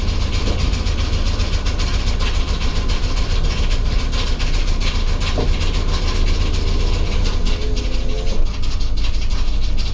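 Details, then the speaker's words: Old OBS Ford crew cab truck, first look under the hood, at idle: heavy low rumble with uneven pulsing and scattered clatter, growing more vibrating; oil pressure and battery voltage fine, no warning lights, rough idle cause unknown. "the oil pressure looks fine the battery voltage is fine everything looks okay it just sounds like i"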